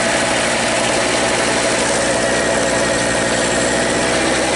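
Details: Red Harbor Freight Storm Cat small generator with Champion N9YC plug, started via drill on the flywheel bolt, holds a steady, even buzzing run at constant speed with no surging, knocking or stumbling; running healthy.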